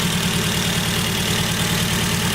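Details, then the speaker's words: Ford Focus idling with HT leads pulled one at a time: uneven idle with recurring stumble as one cylinder drops out, pulling the bad cylinder's lead changes nothing; misfire traced to faulty ignition lead, replacement needed. "And I've already determined that it's the lead, so I need to get a new lead. So, by simply just taking off each HD lead, you can tell the difference because of each, you know, you'd hear it misfiring on each different one."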